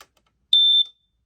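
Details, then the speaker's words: Smoke alarm tested by pushing the cover at the red sticker: one shrill, steady high-pitched beep of about a third of a second, described as not loud compared with others. "in order to test it you have to sort of push on the cover right about where this red button is sticker is I should say as you can hear it's not loud at all and compared with the"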